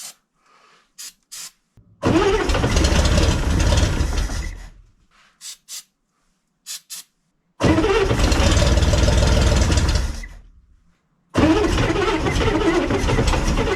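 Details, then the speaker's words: 1965 Corvair with two carburetors, first start after sitting, flooded with gas: three heavy cranking bursts with a rough chug about four beats a second; clunking starter, owner suspects it is loose. "what sounds like the starter is just loose probably shouldn't be continuing to do this without looking at it"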